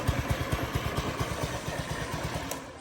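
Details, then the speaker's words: 2022 Honda Ruckus scooter idling normally after a no-start fix, idle screw raised slightly, still cold; quick fairly even low pulses about two per second, no knocks or misses. "Probably just still got some dirty fuel in the system. She's quiet, she's running now."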